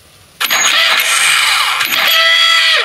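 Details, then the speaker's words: Pegasus Sky 50 scooter after light accident damage, which runs poorly and starts badly: starter whirs about two seconds, drops briefly, spins again but never fires; owner suspects a too-weak battery. "will gar nicht mehr anspringen wahrscheinlich die batterie zu schwach"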